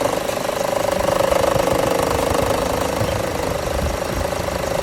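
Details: 2013 Chevrolet Cruze idling with the AC running: a light, fast rattle sits over the idle, appearing only with the AC on. The worn belt tensioner is suspected and is being replaced.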